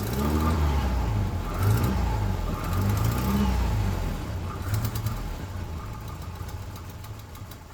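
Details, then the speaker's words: Volvo 240 after engine swap, new spark plugs and distributor adjustment: engine catches, revs briefly, then settles to a smooth, even idle; the earlier pinging was detonation and is now gone, running normally. "everything is working as it should"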